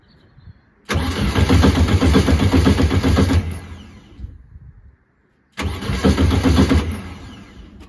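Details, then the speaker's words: Air-cooled VW hydraulic bug engine after valves found with no gap and reset: two bursts of cranking with a heavy, regular thud about four a second; something knocking inside, cause not yet clear. "can hear something knocking I can hear something knock in yeah"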